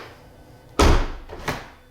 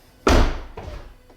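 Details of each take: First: 2015 Tesla Model S door at −19 °C, handle only partly popping the door, glass not dropping enough to clear the chrome trim: heavy thunk, then a second knock, leaving a gap; door not closing fully, glass striking trim. Owner suspects cold. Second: 2015 Tesla Model S door at −19 °C, closing after a sticking-door problem cleared up (owner unsure whether it was temperature related): one solid thunk as it latches cleanly, with no rattle or glass scrape; normal door close.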